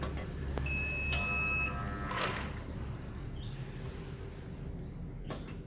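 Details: Cheap inverter test-running a 1/2 hp motor pump: sharp high beep for about a second as the pump tries to start, then only a low hum; inverter overload alarm, motor fails to start.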